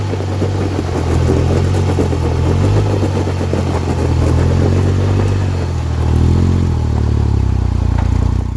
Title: Warranty video for Polaris. 2025 Ranger 1500 NS, rear diff clunking noise.